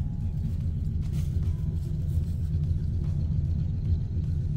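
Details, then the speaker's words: 1953 Ford Customline flathead V8 being revived, running on fresh gas with possible varnish left in the tank: deep, loping burble with an occasionally uneven beat at idle. It has one little misfire; the cause is not confirmed. "She's got one little misfire."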